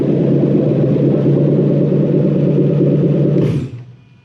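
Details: Toyota 1UZ-FE VVT-i V8 on plug-and-play manual relay/fusebox harness with transmission emulator, EMO deleted, in neutral, gearbox not attached: smooth even low drone for three seconds, then clean shutdown, nothing irregular; normal running and shutdown.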